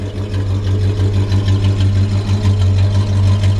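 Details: 1961 Chrysler 300G, original engine and transmission, frame-off restoration: deep, even exhaust burble at idle, about three pulses a second, steady and unbroken; healthy V8 exhaust.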